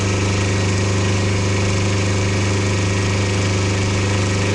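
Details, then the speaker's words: Diesel genset on a 13 m cruising catamaran, running and charging after the brush box was replaced for a no-output fault; an AVR fault was also possible. Steady drone with a firm low hum and even pulsing, no misses; it runs cleanly. "As you can hear, the genset's running and it is charging, so fingers crossed might address the problem."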